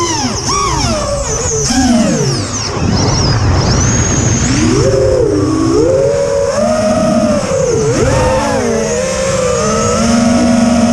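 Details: Quadcopter in flight, TBS Bulletproof 25A ESCs replacing LittleBee 20A (signal cap removed), DShot 600, Betaflight 3.1.0-RC5. Whining motor tones swoop with throttle, wavering and warbling unevenly. Demag, timing and DShot 300 changes didn't help; cause unknown.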